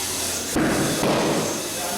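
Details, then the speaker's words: A new tire mounted on the rim and inflated with an air compressor to seat the beads: steady air hiss, then two sharp pops about half a second apart as both beads seat, before the valve core goes back in. "So we take our air compressor, we plug it in, and we give it some power, and you'll hear both the"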